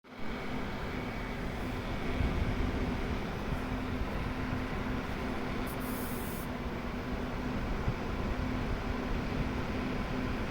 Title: fan rattling noise.